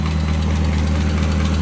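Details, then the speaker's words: Nissan 240SX with RB25 engine at idle: fast light even ticking over a low rumble; owner blames the hydraulic lifters and plans to remove, clean and oil-soak them to stop the clicking. "so you can hear the lifters I got to take them out and clean them so take I got to pull the Val covers"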